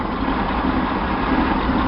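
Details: Chevy 230/250 straight-six with 2bbl Weber 32/36 carb after vacuum leak fix, fuel pressure just under 4: smooth, even, quiet idle, quieter than before the fix; normal idle.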